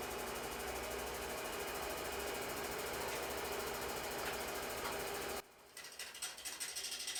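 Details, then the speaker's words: Harbor Freight 12x36 wood lathe fitted with treadmill motor, turning under load; steady whir cuts off then weak uneven surges, low torque; loose drive belt slipping, fixed by tightening. "So right here, a little bit of worry or panic sets in because you can maybe hear that the motor is winding down, and you notice that it's not getting enough torque, as much torque as I was hoping. Uh, Ultimately, though, it was a super easy fix. The belt was basically just slipping; it was a little too loose"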